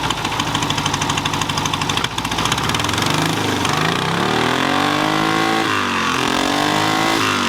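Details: 1968 VW Beetle after sitting, with brakes bled: clattery start settles into a steady idle, then revs rise and fall cleanly without misses; running properly.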